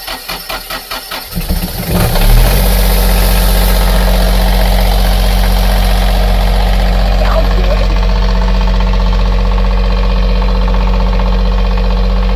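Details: Generator on a family catamaran, unrun about six months and previously tampered with, preheated then started: slow labored cranking pulses for about two seconds, then it catches and settles into a steady, even low diesel drone; normal diesel idle.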